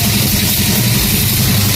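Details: TVS XL 50cc moped after repair, starts on one kick: steady even single-cylinder putter, no knocks or misses, smooth revs; normal idle.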